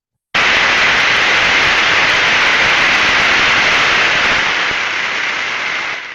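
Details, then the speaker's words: Ultrasound probe recording of a bearing during greasing: loud uniform rushing hiss of a dry but undamaged bearing, dropping in steps as grease takes effect until stable. "the nice thing was when you notice this when the bearing needed grease it was still a uniform rushing sound because the bearing is not damaged but it needs grease"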